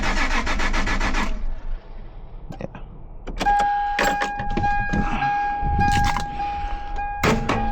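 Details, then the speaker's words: First-gen Toyota Tacoma, unstarted since driven four days earlier, cranks steadily at about four turns a second with no catch or sputter; earlier it sputtered. No fuel from the lines with the pump allegedly primed; owner suspects bad gas or a failed fuel pump. "Um, today, like you can hear, it's just turning over, but it's not even sputtering. So, clearly, it's not getting fuel."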